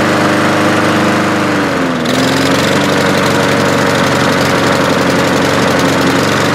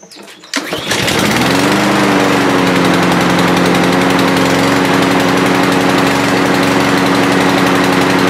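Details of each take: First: Walk-behind lawnmower back a month after service with an air filter fouled by oil after being tipped over: a steady, clean high-speed drone that dips briefly under load and recovers evenly. It runs properly. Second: Lawnmower serviced a month ago, oil on the body: it starts easily but holds a lazy, low-pitched drone that won't rev up to speed. The air filter is plugged with gas and oil after the mower was tipped filter-side wrong.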